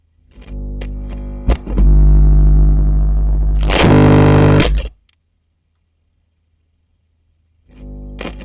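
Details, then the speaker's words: Hiwatt PA100 6-channel 100-watt tube PA amp: loud buzzing distorted roar swells when channel turned up, cuts when muted; common to all six channels, fault suspected downstream of them, origin undetermined. "Okay, so we've definitely got an issue, but if it's affecting all 6 channels, then you might argue that the problem must be downstream of all of those channels."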